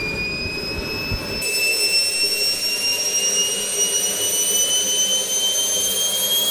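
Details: SWIWIN SW220B micro jet turbine on test stand, second run after adjustments; shrill steady whine climbs smoothly after light-off and settles into even idle near 38,000 rpm, about 2.5–2.6 lb idle thrust, no surging; normal turbine idle.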